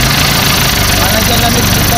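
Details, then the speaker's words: Newly assembled owner-type jeep diesel brought in for hard starting; steady even idle, regular low thrum, no knocks or misses, normal. "Dito Ayan maganda umandar ng makina niyo walang problema Yano gandang mangaran oh"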